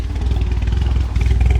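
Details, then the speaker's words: Ford Focus ST-2, 99,000 miles, started about 10 minutes after last run: choppy, stumbling exhaust beat at idle with irregular dropped pulses and clatter; bad misfire with heavy black smoke and engine light, cause unknown. "It's starting. But it was badly misfiring."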